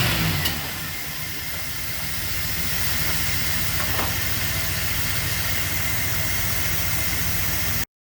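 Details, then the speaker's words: KITT car's V8 after fixing a no-start: brief rev blip, then steady, even running with clean regular exhaust beat, no misses; runs well. "The engine actually runs really good and sounds good. So I'm pretty happy about that."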